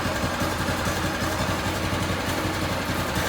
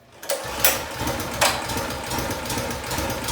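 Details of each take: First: Predator 212cc engine on a DB30 go-kart, just fitted with a new carburetor after it wouldn't idle and cut out at full throttle; now settles into a quick, steady putter, idling cleanly without hunting or stalling. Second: Harbor Freight Predator 212cc engine on a DB30 doodlebug, original carburetor (cleaned, no help): small single fires, stumbles, only keeps running at held-high revs; idle screw nearly all in, dies whenever choke fully off; won't idle, cuts out at full throttle.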